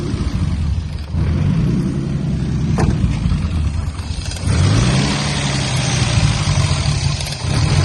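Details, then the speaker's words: Turbo M50 BMW E30, surging while awaiting a tow. Loud, coarse engine note with a lumpy, uneven low drone and a brief rise. Battery light was flashing as voltage dropped; alternator suspected, cause unconfirmed. "It sounds... The engine is so loud."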